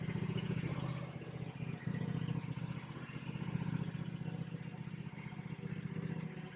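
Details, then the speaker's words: Bad Boy zero-turn with a fire-damaged Kawasaki V-twin, rebuilt using parts from a near-identical engine: quiet, steady, even low thrum with no knocks; charging about 14 volts, a little smoke from the bottom. "Oh, she sounds good. She sounds real good. She's charging. She's putting out about 14 volts."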